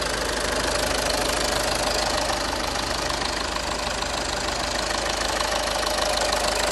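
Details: 2010 VW Passat 3C 2.0 TDI, first start after engine repair following a broken timing belt: steady, even diesel clatter at idle with regular light ticking and no misses; normal diesel idle.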